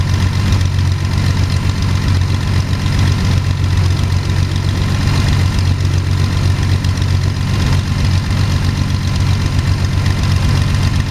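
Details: Sonex homebuilt aircraft, Jabiru 3300 six-cylinder engine with Rotec TBI, about 50 hours, first engine start after throttle set a quarter inch and mixture full rich; oil pressure 42, EGTs 700-800F; deep even idle thrum, no misses or knocking, sounds really good.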